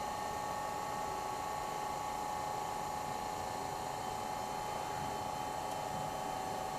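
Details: Old GE Monitor Top refrigerator CK-2-C16, charged with three cans R152A, high side about 175 psi: smooth, steady hum, no knocking; compressor running evenly, evaporator getting cold, motor load dropping; normal run.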